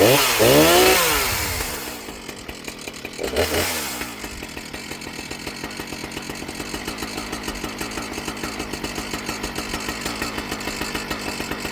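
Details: Husqvarna 455 Rancher chainsaw after swapping misrouted fuel lines at the carburetor: a couple of revs, then drops to an even, steady two-stroke idle; runs smoothly without bogging, problem solved.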